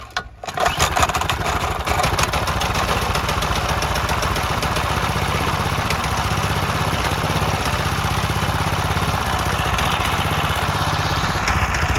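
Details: Briggs and Stratton rotavator single-cylinder on a temporary test rig: catches after a pull, then a steady, even popping idle for ten seconds with no misses or knocks; normal running.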